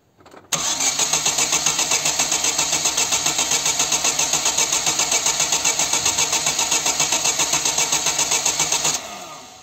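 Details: Chevy (Corsa) 1.6 engine after timing belt replacement, injectors and coil disconnected, cranking only: even starter whir with regular dips of about four per second showing good compression on all cylinders; normal cranking compression.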